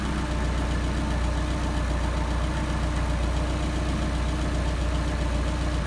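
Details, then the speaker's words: Solex 44PHH carburettors on test: low idle with slightly uneven beat as the idle mixture screw is turned in, engine stumbling and RPM dropping; backing out to the midpoint gives best idle, about 775 rpm. "So we'll screw this in. Start stumbling. See our RPM dropping."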